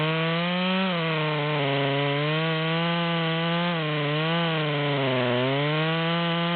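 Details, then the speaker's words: Modified ("Psy-Ko-ized") Stihl MS200T with 25-inch bar (84 drivers, 3/8), a third into a large-diameter log, saw feeding on its own weight: high buzz sags and recovers repeatedly; engine bogging under cutting load, not holding revs. "we're about a third of the way down at this point and you can see it's struggling to pull the chain the way it's set up"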